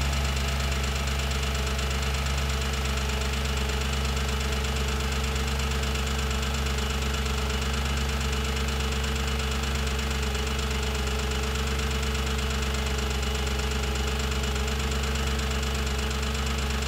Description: Searching for the source of the loud ticking noise coming from the valve covers or timing covers. Seems to be coming from the rear of bank 1, loudest near cam adjusters and cylinder 4 valve train.